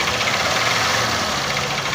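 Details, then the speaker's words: 150cc single-cylinder motorcycle engine idling with a hard, rapid metallic knock over busy, rattly running. It knocks heavily at idle and eases slightly but does not stop when revved. Worn connecting rod. "de como eu tô aberto de identificar barulho de biela Oi tá aí ó batendo muito na lenta acelera um pouquinho bate mais não"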